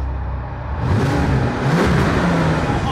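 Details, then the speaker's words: Bentley twelve-cylinder (about 570 PS), running on all 12 cylinders again; temperature reads about 200°: deep roar climbs under hard throttle then holds strong and smooth; full power. "das ist ein komplettes Biest ja jetzt jetzt ist er nämlich da ne"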